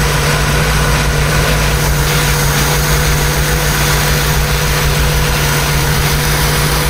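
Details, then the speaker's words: 1976 BMW 2002 engine on its first run after restoration with Hot Spark electronic ignition, warming up. Smooth, steady idle with an even low hum and no knocks, ticks or misses; sounds healthy. "We'll let it warm up and maybe then we'll see if it'll settle down. [Music] Sounds like a pretty happy machine."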